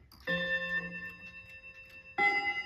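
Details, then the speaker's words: Slow-running Seth Thomas mantel clock, rods further down not yet adjusted: chime notes sound dull, one a bit muffled and one awful, because the hammer arms still need bending. "a bit muffled, and that one's awful."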